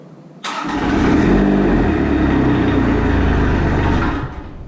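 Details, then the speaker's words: Kubota RTV1100 D1105 diesel cranking after priming the lift pump and glowing; steady fast churn about four seconds with heavy smoke, never fires; owner then checks injectors, possibly injection pump. "Wow, that's a lot of smoke. Oh my goodness."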